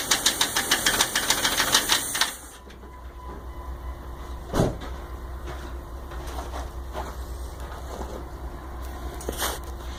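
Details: 1999 Jeep 4.0 at idle: constant light, fast tick about three per second over steady hum; pressing on the #5 exhaust valve silences it briefly. Owner unsure whether the lifter is collapsed or stuck, or piston slap.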